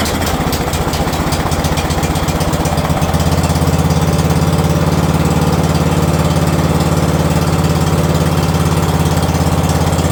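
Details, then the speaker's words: White Outdoors lawn tractor, first start after sitting 2 years with a prior carburetor issue, battery charged; steady, even single-cylinder chug at idle, slightly smoky, no knocks or surging; normal running. "Well, there we go. Little smoky. Take it out and see how it mows. Running good."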